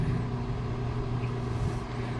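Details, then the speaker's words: Twin tub washing machine just reassembled and rewired after repair, belt-driven wash motor: even low hum with a steady drone as the tub turns right, reverse and forward, no grinding or knocking; normal operation. "Ayun na, umikot na dalawa mga kawiks. So ito tamang ikot, pakanan. Ayan, reverse forward."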